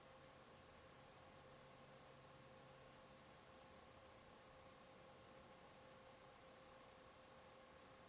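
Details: PS4 console fan recorded with a Canon EOS 60D's onboard camera microphone: faint even hiss with soft steady hum, no rattles or surging; quiet, healthy fan.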